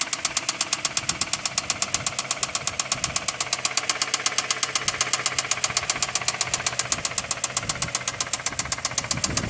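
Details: 2008 Toyota Camry engine at idle with sharp, crisp knocks about four per second over a quiet background; engine knocking, source not pinned down.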